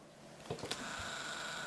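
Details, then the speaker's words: Kodak EasyShare M550 compact camera, used older unit, powering on: quick clicks and whirs then a thin steady whine as the lens extends; typical of older Kodak EasyShares, within normal operating range for its age. "yikes this is the sound of an older Kodak Easy Share this is how almost every code older Kodak Easy Share sounds the lens and this is within normal operating range from Kodak for a used camera of this age"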